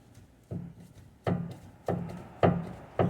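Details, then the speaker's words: Sharp knocks with short clattering rattle, about every half second, as a worn front sway bar (stabilizer) link is tapped at its top; caused clicking/clunking over bumps while driving, not the struts; replace both. "the noise so it looks like on the top right here that's what's making the noise so the whole stabilizer bar has to be replaced and it's recommended to change both"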